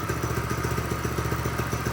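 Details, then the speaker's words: Tractor Supply mini bike with Predator 212 single-cylinder after it would not start despite spark, fuel and air: even quick idle with steady firing and no misses once the non-venting gas cap was opened. "The gas cap is not venting right. I opened the gas cap, it [ __ ] starts."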